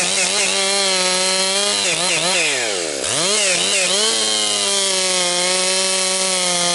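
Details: Rebuilt Husqvarna 262XP chainsaw breaking in, compression up, bucking dry, partly rotten pine: crisp high scream sags briefly as chain bites, snaps straight back; strong, healthy running under load.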